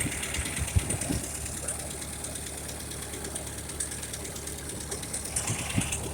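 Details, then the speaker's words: 1956 Ferguson TO-35 tractor running after carburetor replacement and new governor linkage, moving in low secondary gear: rough uneven chugging with occasional sharp exhaust pops; cause of the popping not yet known. "you can hear popping the crash in there we're moving out now we're in low secondary burning up the road here"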